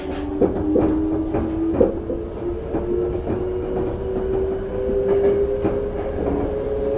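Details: Toei 5300 series set 5315, Mitsubishi GTO-VVVF, Keikyu limited express Misakiguchi–Kanazawa-bunko, in-car recording; steady mid-tone electric hum shifting pitch over regular wheel clicks, abnormal inverter whine, cause unknown.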